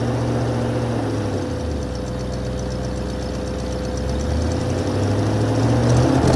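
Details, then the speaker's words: 1980 Mercedes 450SL, first start after a new fuel pump and a long time sitting, no leaks: settles to idle, dips, then the speed wanders back up unevenly; a hunting, uneven idle with the cause not pinned down. "Oh, and it's not leaking either, and it seems to be working. It was a little iffy there at the beginning, but it's working."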